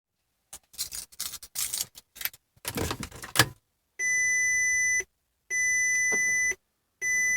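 After some key rattling, a steady high chime sounds for about a second, repeating with short gaps, while the dash stays dead.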